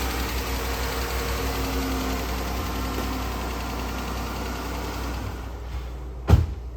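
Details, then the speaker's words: 2014 Dodge Charger 3.6 Pentastar V6 idling: a light, quick, noticeable tapping over a low hum before shutdown, diagnosed as the common lifter or rocker problem. "all right so this one is not that loud but it is very noticeable it's making a tapping sound you can clearly hear that"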